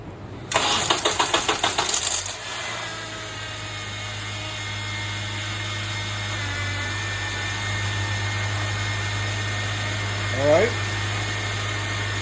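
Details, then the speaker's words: Honda Accord, first start after the VTC actuator was replaced to fix an early-morning startup rattle: about two seconds of cranking, then a smooth, even idle with no rattle. The repair was successful. "more rattles that's the end of that story so that's how you fix your BTC actuator on this car"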